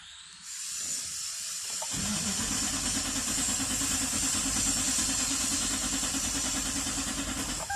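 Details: 2007 Toyota LandCruiser with crank-run-stall fault, now cranking without starting: steady cranking about three beats a second with a harsh metallic hiss, never fires; starter hanging up on the flywheel.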